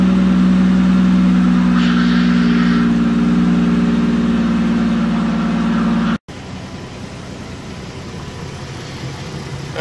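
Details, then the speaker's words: 2012 Mazda 6s 3.7 V6 Duratec just reassembled after water pump and full timing chain service, coolant being bled; steady groaning, grindy drone over the idle at first start-up. "that sound when they first started up that grindy sound was the the"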